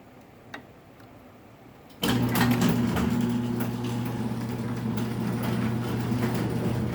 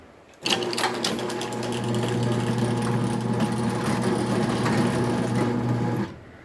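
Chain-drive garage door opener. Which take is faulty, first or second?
first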